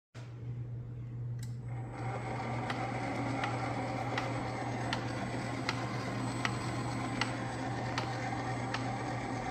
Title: Ooni Halo Pro Spiral Mixer making noise after using for exactly 3 times!